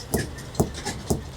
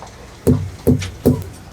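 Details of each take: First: Hammer knocks on a trailer tire with central inflation during a pre-trip check: four dull, short thuds about half a second apart with no ring, a dead thunk like an overripe watermelon. Tire low on air; uneven wear also seen. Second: Hammer knocks on a trailer tire with central inflation during a pre-trip check: three sharp, ringing knocks about 0.4 seconds apart, each with a solid bounce. Tire full of air, properly inflated.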